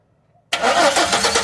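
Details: Chevrolet Silverado cranking with a steady churning whirr but never firing; no spark and no injector pulse despite new CKP sensor, ignition coil and module; checking for spark at the coil while cranking, cause not yet found.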